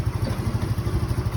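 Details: Benelli Panarea 125 scooter after fixing a loose fuel pump connection and drained battery that prevented starting: low, even putter at idle with regular pulses, no ticking or stumbling; healthy idle.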